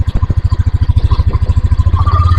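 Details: 2022 Yamaha NMAX after replacing connecting rod, piston and cylinder block, mic held close; crisp regular idle pulses about eleven a second with no knocking: knock gone, normal idle.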